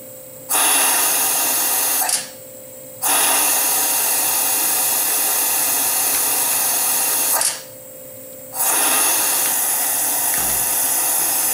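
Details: Mitee Bite VM300 vacuum pallet system on a Tormach CNC mill, switched on to hold down an aluminum fixture. A loud steady airy hiss turns on and off in long bursts with no sputter or pulsing: the air-driven vacuum is working normally.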